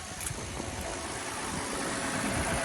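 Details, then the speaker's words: 2009 Lexus ES 350 at an auction yard, started on a jump pack, with the alternator charging above 14 V: smooth, steady idle with no knocks, ticks or misses. "Okay, so as you can hear, guys, the engine is running smooth. Nice, pretty nice."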